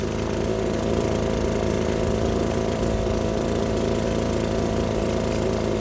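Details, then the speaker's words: Gas two-stroke leaf blower warming up after a carburetor fix, now running completely differently; steady even drone with no surging, stumbling or misfire, running normally and healthy. "Let that thing warm up. It was just the carb. It's acting completely different."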